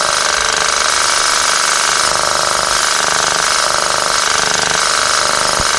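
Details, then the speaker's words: Boost control solenoid on a B18 Honda Civic, commanded on through S300 software while air is blown through it; a fast, even pulsing hiss of about three or four pulses a second as it modulates air out of both ports, so it is operating normally. "Alright, so it's operating. If I put air through here, it's modulating the air out of both ports."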